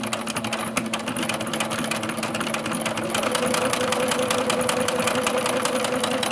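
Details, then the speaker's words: Singer Brilliance sewing machine after repair: steady quick needle clatter at about three stitches a second, even and regular with a light hum; running smoothly. "See how it's smooth? And it's probably a bad model, but it's sewing very good."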